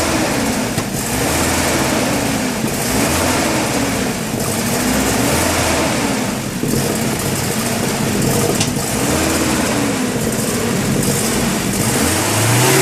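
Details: BMW E30 318is M42/M44 with coil-on-pack conversion, ICV cleaned, crank sensor replaced: uneven hunting idle swelling and sagging every couple of seconds; rough idle, owner suspects a coil pack.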